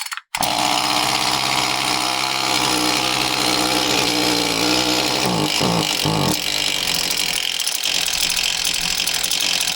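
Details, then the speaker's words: Echo CS-2511T chainsaw with low-power, won't-rev complaint: runs flat, dull and muffled, not revving out cleanly; carbon-clogged spark arrestor screen, with carbon on piston and staining from old varnished fuel. "You can tell right when I pulled the cord that it didn't sound right. It sounded muffled."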